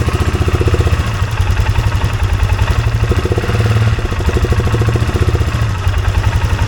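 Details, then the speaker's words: 2023 Polaris Sportsman 570 idling near 2000 rpm instead of about 1200, hard to shift. Fast, steady single-cylinder thump at about sixteen pulses a second. A gap between the minimum throttle stop and the throttle plate holds the plate open, keeping idle high. "It looks like there's a gap between your minimum throttle and that plate, because I can rock this. See that? There's a gap there. Let's turn the quad on and let me push this back and see if that calms that idle down."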